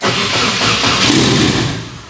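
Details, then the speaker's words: Nissan S13 240SX with KA-T engine, cold start on fresh VP fuel: a brief burst of cranking rises into a rough, uneven catch that fades. Hard cold start. "what's that sound O come on girl she's got a bad cold"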